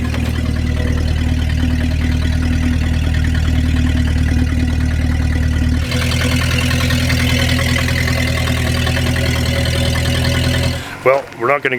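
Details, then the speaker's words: 1953 Packard straight-eight, cold start after sitting, carbureted, in park. Smooth even low idle with steady soft exhaust pulse, no knocks or ticks; healthy. "okay i hope we can hear how cool this thing sounds"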